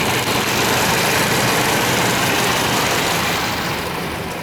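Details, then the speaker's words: 1998 Chevy Vortec first running after 12-15 years stored, Passlock reset; cylinders filled with oil, little exhaust smoke, nearly out of fuel; uneven, slightly lumpy idle about four beats a second, no knock; rough idle after long storage. "She's running after 15 years. 14, 12 years. Got a little smoke coming out the exhaust. I fill the cylinders with uh with oil. She's running"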